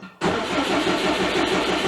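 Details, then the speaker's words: 2002 Subaru WRX with a built 2.6L stroker (2.5L block, 2.0L heads) and JDM 6-speed, first start after sitting 4 years. The starter whirs and the engine catches into a rough, busy idle, with oil pressure coming up. The starter audibly sticks engaged. "The starter looks like it's sticking a bit, which isn't good."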